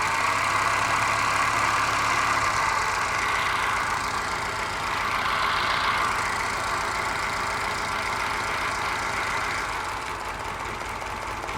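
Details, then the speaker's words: Moke engine bench-tested on a stand, compression tested excellent and no smoke: idle with a steady uneven chuff, one beat repeatedly dropping out; missing on one cylinder, owner suspects carby mixture, valve ruled out by compression. "Well, it's running okay, other than it's missing a little bit, but it just could be mixture with a carby. Could be a sticky valve. Definitely missing on one cylinder."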